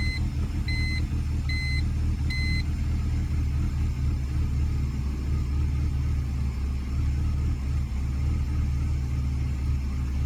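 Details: 2003 BMW 325i E46 petrol six-cylinder with an unexplained rough idle that dies on cold start, despite new intake boots, DISA valve and SAP hose and a cleaned MAF: deep, slightly uneven rumble, warning chime beeping.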